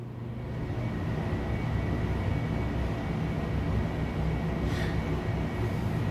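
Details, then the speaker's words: 1982 Emerson 24-inch whole house fan running on high: deep, even rush of air with steady low rumble and faint hum, no rubbing or wobble; normal operation. "that's high yep and this is low and we can do any speed in between but even on low it's keeping the curtains poofed out"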